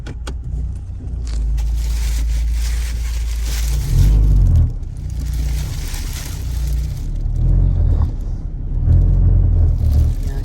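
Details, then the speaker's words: 2007 Mazda driving and shifting gears: heavy low droning rumble and strong vibration and rattle in the cabin; mechanic suspects a weak engine mount, later replaced. "i think some some of the engine support is uh weak that's why it's happening like this but i'm not sure"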